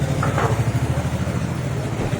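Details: TVS Ntorq BS6 scooter (no kick starter) before repair, hard to start and not responding to the start button: rough, lumpy low beat with an uneven rattle over the idle from a seized piston pin and worn crankshaft.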